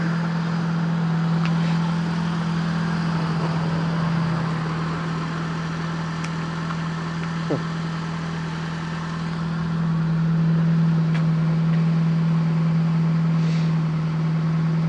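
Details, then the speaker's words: Fiat Panda 4x4 Sisley with fuel injection, cold start on a cold day: even, steady low idle drone holding a constant fast cold idle, no knocks or misses; normal cold start idle. "sounds like it's time to warm up already pretty good stuff though"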